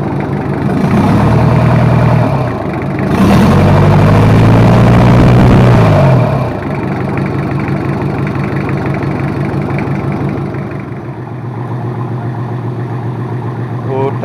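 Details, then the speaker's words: Rebuilt Toyota Kijang 2L diesel running in at a somewhat high RPM after an overhaul for low compression and an abnormal noise: steady clatter at a raised idle, revs rising briefly then settling evenly; a healthy engine running in. "kita inreyen ya sekitar 342 Man kita pakai RPM agak tinggi"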